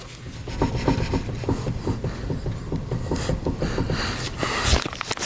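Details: Nissan 370Z after drift-event damage: rapid dry clicking and rubbing, about three to four knocks a second, as a loose suspension arm is rocked by hand on the other side. A replacement part had no play. Worn suspension joint play.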